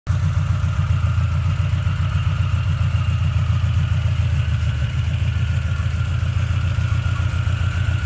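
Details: 1976 Triumph TR6, first start after engine rebuild, triple Weber carbs on TWM intake manifold: deep steady low idle, even throb, no knocks; runs, but carbs still need major tuning.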